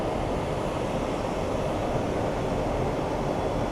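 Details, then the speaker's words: Workshop dust collector with extra ports opened to quieten it, running during wood turning: loud steady roar with rough, churning, gurgling low end like a toilet instead of smooth white noise; airflow upset by opened ports. "yeah why it should sound like kind of white noise that's that's what's the dust collector's doing it's funny because i was trying to make it more quiet and it made it sound like a toilet"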